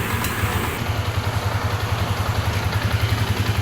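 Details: Yamaha Sniper 150 on its first start after rebuild with new timing chain, rocker arm, water seal, bearings, piston and block; even single-cylinder putter at steady idle, about 3.5 beats per second, no knock: healthy.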